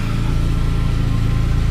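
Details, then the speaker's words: Saab 9-5 wagon, rotted resonator replaced with straight delete pipe, exhaust failed inspection for a leak; mic held at joints at idle: steady, even low pulse, no puffing, ticking or hiss; no leaks. "So, you know, not necessarily an ideal, but there's no leaks, and you guys would hear it. Put the mic right in there, nothing."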